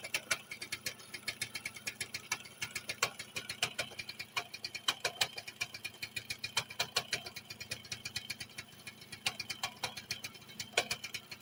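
Sharp, uneven metallic knocks ride over a motorcycle's idle, from clutch dampers riveted too tight to absorb torque pulses.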